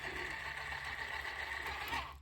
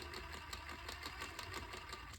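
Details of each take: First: Axial SCX10 Pro RC crawler after transmission teardown, dog suspected of not fully engaging or debris inside; steady even motor and gearbox whine, no clicks or grinding, winding down; fix worked, normal drivetrain running. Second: Axial SCX10 Pro 1/10 RC crawler on a stand, wheels spinning: light regular ticking over the motor whir, something loose clicking in the drivetrain; cause not yet found.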